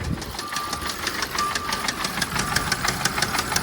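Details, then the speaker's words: Auction car: rough idle with sharp, irregular metallic knocks about three per second. Cause undetermined; no low-oil-pressure warning is shown, only a drivetrain malfunction message. "all right it started but it's knocking [Music] oops that is very bad like it it really is guys very bad like this it sounds like it sounds horrible"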